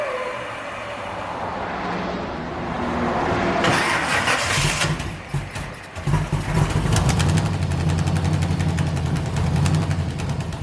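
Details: 1971 Chevy Nova pro street small block V8 with 4-speed, non-running car after spark plug wire re-spliced; rough, lumpy stumbling run after cranking; misfire, owner suspects firing order or timing.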